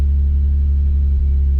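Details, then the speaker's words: Nissan 350Z that would not crank, after fitting a new starter: starts and settles into a steady, smooth low drone with even pitch, no stumbles or knocks; fault was the starter; normal idle. "it's the starter we're back in business she's running she started we're good"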